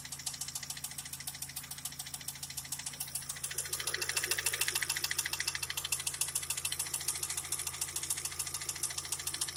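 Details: Daewoo Lanos 1.5 engine at idle: light, sharp ticking about three and a half times a second rides over a steady idle; a knock from inside the engine, cause not pinned down.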